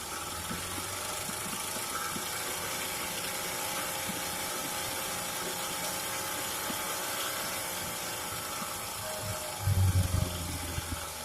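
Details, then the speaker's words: Early-1950s Goodyear Sea Bee 5 outboard boat motor, first run in many years after draining old gas: steady buzzing two-stroke drone holding even speed, a few clatters near the end; ran like a top; normal running. "so there's the motor again ran like a top"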